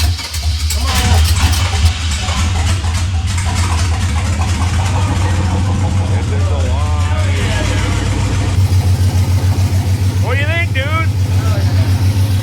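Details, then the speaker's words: 1940s International milk truck with LS-swapped stock-cam 5.3 V8 and new computer, just after first-try start in park: deep, steady V8 idle with even lopey beat, firing cleanly; normal idle. "First try, guys. Hell yeah. God, it even sounds good."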